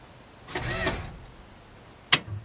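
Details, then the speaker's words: 62-year-old Dodge that sat for 20 years: a short, quick starter whir spins the engine over freely with no drag or binding, then a single click; it cranks over fine. "Dude, that thing turned over easy. That thing turned over just so easy."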